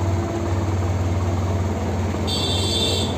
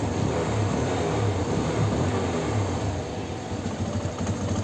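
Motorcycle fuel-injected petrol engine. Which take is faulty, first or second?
second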